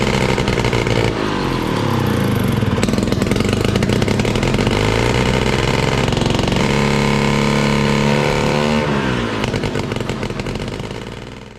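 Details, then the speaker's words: 1968 Ski-Doo Super Alpine with Rotax 370 opposed two-stroke, muffler removed: loud unmuffled bark holding one speed, never climbing, running only on choke. Won't rev because expensive fuel lines wouldn't let it pull enough fuel. "So it's basically doing the same thing that it was doing last time. I can't get it to rev up. It has to run on the choke, doesn't want to run without it."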